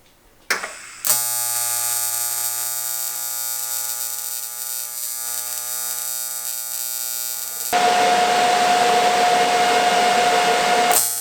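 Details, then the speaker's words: AC TIG welding aluminum: a loud, steady buzzing crackle without sputtering or popping; a stable AC arc, normal for aluminum. "Yeah, you have to use AC for welding aluminum. Okay. Now you should be able to hear the difference in what I just did and what I'm going to do, so."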